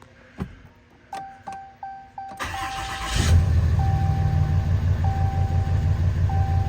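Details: 2016 RAM 2500 Mega Cab 4x4 diesel, 36,737 miles, starting after oil and oil filter change: dash chimes, short crank, then fires and settles into a steady, even idle with no knocking.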